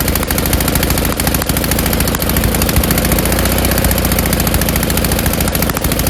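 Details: Snowblower winterized years ago, single-cylinder engine started on choke at high throttle after oily old fuel was drained: pops along steadily at a fast, even beat once it catches; healthy running.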